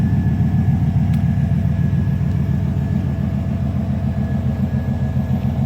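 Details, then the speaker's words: 1999 Chevrolet Suburban C1500 350 V8, cold start at idle, exhaust with catalytic converters and added X-pipe: steady, even low rumble, smooth regular beat, no misses or knocks, passing traffic in background; quieter, smoother normal cold-start idle. "So with catalytic converters, it's a little quieter and a little smoother."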